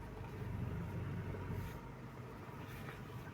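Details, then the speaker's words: Car power steering after replacing leaking seal, cleaning out debris and new fluid: heard inside cabin with air-con on, steady low engine rumble and no pump hum; previously hummed when turning. "So ngayon okay na. Okay na siya. Wala na yung ugong."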